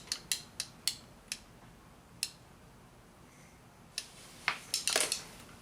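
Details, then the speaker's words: 2006 Honda Civic EX front passenger power window: irregular sharp clicks in bursts, no motor run sound, window stuck up and not moving after briefly working; window regulator/motor judged bad, needs new regulator. "clicking a lot louder now all right I'm convinced needs a new window regulator the motor's bad"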